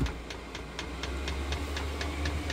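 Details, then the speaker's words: Heater dosing pump ticking evenly, about four a second, over a low fan rumble; exhaust is hot and the system is primed, with a few air bubbles still in the line but working normally. "l'échappement est chaud c'est amorcé on entend la petite pompe là encore quelques bulles d'air mais ça fonctionne"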